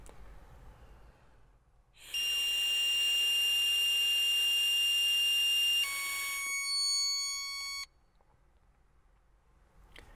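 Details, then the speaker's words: Smart Start ignition interlock breath test with full air volume but no hum tone: one long piercing tone about four seconds, drops lower, then cuts off; display shows abort hum. Interlock abort tone, no hum given. "I will now show you what will occur if I do provide the full volume of there but not provide the hum tone as part of the circumvention requirement"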